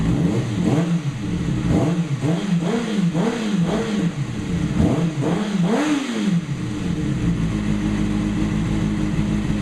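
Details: 2008 Kawasaki ZX6R inline-four first start after valve clearance shim adjustment; crisp blips climbing and falling quickly several times, then settling to smooth steady idle with no ticking; successful, healthy engine.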